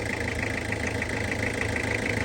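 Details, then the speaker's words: Toyota HiAce van, ex-government auction vehicle with light use: steady, soft idle with an even low beat and no knocks or rattles; seller says the engine sounds very smooth in person; normal healthy idle. "เสียงเครื่องในกล้องน่ะแต่เสียงของผมฟังเเสียงนิ่มมากนะครับ"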